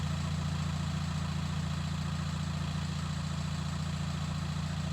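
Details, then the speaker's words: VW T5 Transporter diesel, 287k miles, first start after fitting a homemade stainless exhaust with a straight-through centre box: deep, even, throaty idle with a steady low throb of three to four beats a second, no whistle; normal idle. "that has got a throaty tongue to it"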